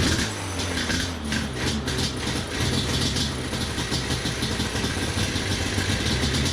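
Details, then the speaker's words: Yamaha Banshee 350 two-stroke with non-stock carburetors, mixture screws reset: engine blips and sags unevenly, still smoky though less so, and still won't idle; dies off throttle, cause unresolved, owner wonders whether a safety switch is the cause. "smoke still Smokey I don't think it's quite as smokey and it still doesn't idle"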